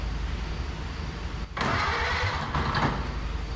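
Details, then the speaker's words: Barn-find 1930/31 Ford Model A coupe, unused since 1964, cranking with a little gas and strong spark: an uneven churn about four turns a second that never catches. Low compression is suspected of giving too little suction for the updraft carburetor to draw fuel. "you don't have a ton of compression which also means you got a ton of suction you got you got no compression you got no suction it's not going to"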